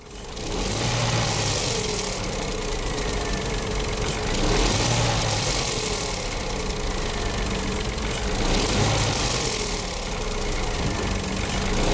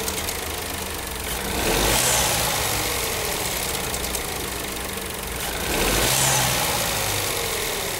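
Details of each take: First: Renault/Dacia TCe 1.0 (H4D) petrol turbo, revved and released: metallic rattle rising each time the throttle closes, at the rear of the engine; play in the turbo wastegate rod, harmless to engine operation. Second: Renault/Dacia TCe 1.0 (H4D) turbo petrol engine idling after injection ECU reprogramming: steady idle with light hiss and gentle swells; the metallic ratcheting from the turbo wastegate rod is greatly reduced, almost gone.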